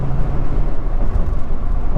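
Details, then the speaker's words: 2001 Ford F150 4x4 with 159,000 miles, after suspension work, alignment and new tires, in cab at 75 mph: only steady low road rumble, no clunks, rattles or tire hum; quiet cab. "And you can, hopefully you can hear in the cab, it's quiet. I almost need to put an exhaust on this thing just to liven things up in here a little bit."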